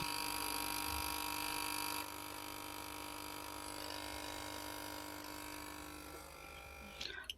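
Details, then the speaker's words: Fridge automatic voltage stabilizer fed 150 V from a dimmer makes a loud, steady buzz, output cutting in and out; relay chattering, one relay contact burnt, circuit not driving relays properly. "यह 150 voltage इसको दे रखे हैं और देख सकते हैं कितनी यह आवाज कर रहा"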